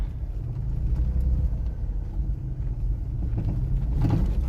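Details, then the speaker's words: 2002 Toyota 4Runner SR5 4x4 at 197k miles, driven on a rough dirt road: a low rumble with a few dull clunks over bumps, which the owner attributes to worn ball joints. "You hear the clunking, that's from my ball joints."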